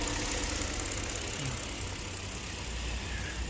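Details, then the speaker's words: Kia K7 3.0 LPI cold first morning start: idle shakes hard with irregular stumbles, check light flashing; cylinder 4 misfire code, 5 and 6 misfiring, low compression on 2/4/6; intake control valve suspected. "처음에 딱 시동 걸면 좀 심하게 떨다가 추첨에 시동 걸면 이제 심하게 좀 떨고 체크 깜빡거리고 또 없어지긴 하는데 그래도 살짝 미세하게 구조로 남아 있습니다"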